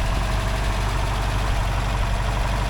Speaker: Now I guess sounds like it's running pretty good. It's idling a bit high. I put the RPM gauge on there. It's around 1,000. It should be down around 800.